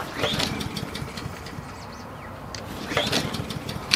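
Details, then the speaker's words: Husqvarna push mower with auto choke, sat a long time: two pull-cord rips spin the engine with a whirring rasp but it never fires; cranks but fails to start, later helped by carb cleaner. "it's really easy to pull over like these hondas are see if it starts no start"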